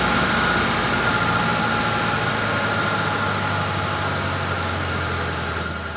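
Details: Injected T120SS after repair of fouling spark plugs, high fuel use and white exhaust smoke and an engine teardown, test run: even, steady idle with a regular low pulse and no knocking or ticking; healthy.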